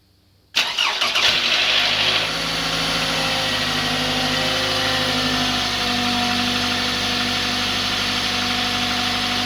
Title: engine knock/rattle noise cold startup of 2010 Camry SE 4cyl 2